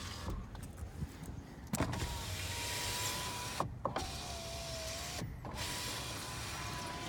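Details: 2010 Ford Expedition 5.4L, 121,367 miles, after a front-end collision: power window motor whines rise and fall smoothly as each window travels and stops, with no grinding or binding; the windows work normally.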